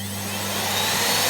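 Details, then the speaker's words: Miele Revolution 700 vacuum running with the refitted burst original filter taken out again: free, steady airflow rush, much clearer, with a faint slightly whiny motor whine, judged fine. "Much clearer. Yeah, the motor's a bit whiny, but it should be fine."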